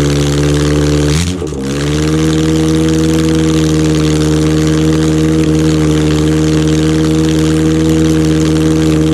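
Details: Freshened 1991 Ford Pinto 2.0 OHC 202 block, ex-Transit engine with 205 rods and thin-top-ring pistons, first test fire: it cranks and catches about a second in, then runs smooth, steady and even with no knocks or misses.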